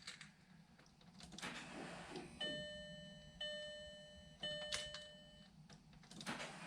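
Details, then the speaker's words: 2000 VW GTI Mk4 project bought with a blown engine, first key-on, with fuel hoses bone dry: a thin electric whine in short bursts about a second apart as the fuel pump primes for a few cycles; normal priming. "i got lights a lot of the fuel pump i'm gonna let the fuel pump run a couple cycles because those hoses were totally bone dry"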